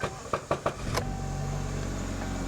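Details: Chevy Malibu with intermittent key/immobilizer problems: a few quick clicks, then the engine catches at once and settles into a steady, even idle; a clean start.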